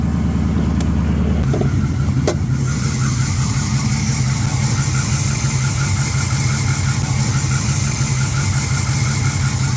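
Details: Mopar engine started and idling before repair: faint rhythmic whirring chatter over the running note, found with a mechanic's stethoscope to be a noisy idler pulley bearing, then replaced.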